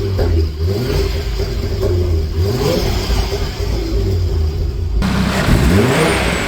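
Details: Audi RS3 DAZA five-cylinder engine warming up on first start-up after coolant bleed, cap just refitted, DSG temperature only 28 degrees: even low burble, steady pulse, no knocks or misses; healthy idle.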